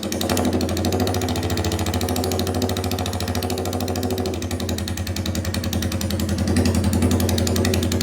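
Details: Royal Enfield 350cc Bullet single on a freshly made custom open megaphone exhaust, recorded indoors, idling and revving. Loud, deep, even thump, steady and clean through the blips; healthy running.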